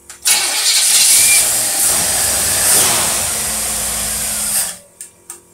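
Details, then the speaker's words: Rochester two-barrel "big mouth" carburetor tested on a running engine: catches at once then runs ragged and uneven about four seconds before cutting out; accelerator pump gives zero shot, stumble from dead pump. "Okay, we have zero pump. The accelerator pump is not working."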